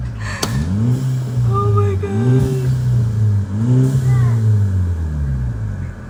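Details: VW Mk6 GTI revved: engine blips up and falls back with a sharp pop or crack on the overrun, exhaust popping, cause not evident.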